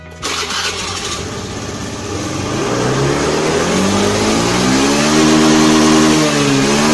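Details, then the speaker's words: Honda Beat FI scooter after fixing the throttle position sensor fault and resetting the ECU via jumper: starts immediately, revs climb smoothly and hold steady without stumbling; normal start and idle. "Oke aman ya enggak ada kendala Oke jadi permasalahannya di motor Beat ini ada di bagian sensor TPS ya teman-teman ya"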